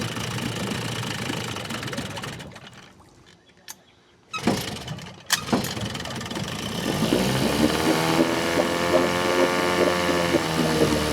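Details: Vintage outboard on a 1963 14-ft Sea King boat, fitted with a possibly mismatched carburetor needle, on a 100°F day. It runs, but the firing stumbles and skips, misfiring.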